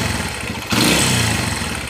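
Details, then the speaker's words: Kawasaki Barako 175 single-cylinder motorcycle engine started and running very loud and clattery, from a loose connecting rod and worn crank bearings needing replacement. "napakaingay so ISO connecting rod dalawang bearing palitan natin sigurado pati black gasgas to alr palamigin natin baklasin natin"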